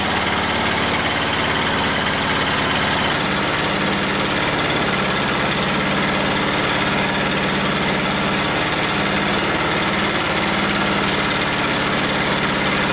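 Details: Detroit Diesel two-stroke in a cheap, long-sat dozer (one cylinder was full of water) runs on only 2 of 4 cylinders; two cylinders read zero compression. Lumpy, loping low idle with uneven, missing beats; dead cylinders from stuck valves.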